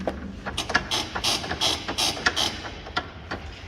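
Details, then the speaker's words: Mitsubishi Triton MQ/MR 2.4 L turbo diesel ute, lifted with an Old Man Emu rear suspension kit: squeaky creaks, two or three a second, with each bounce; rear leaf spring creak, common on Tritons, factory suspension too. "so as you saw in the video that sound in the rear suspension yes this shoot doesn't have the factory suspension in it"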